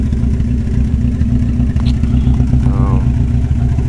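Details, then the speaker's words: 1993 Geo Storm with a blown head gasket after water pump failure, about 40 minutes running with Steel Seal: loud steady running with an irregular skip and faint light knock; owner suspects water in the oil. "sounding a little better still skipping a little bit knocking a little bit but uh it's probably because it's got water in the oil"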